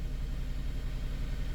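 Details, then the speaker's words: 2006 Honda Element K24 with P0301 code, idling. Low, lumpy idle with a regular stumble; scanner counts 400+ real-time misfires on cylinder one, a dead miss later confirmed by an injector swap as a faulty fuel injector. "We're counting real time misfires on cylinder one. You see that? Cylinder one misfire. We got 400 and something misfires. So, we've got a dead miss on cylinder one."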